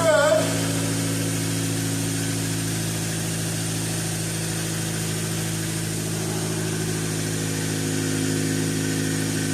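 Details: 2013 Dodge Dart 1.4L MultiAir turbo, first start after timing belt replacement, checking for oil leaks. Smooth, steady idle hum with an even beat and no ticking or knocking; sounds pretty good, normal idle.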